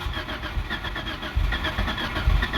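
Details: 2004 Mitsubishi Lancer on a cold morning: uneven cranking pulses with a low throb that does not catch into a clean idle. Hard cold starting is a usual problem.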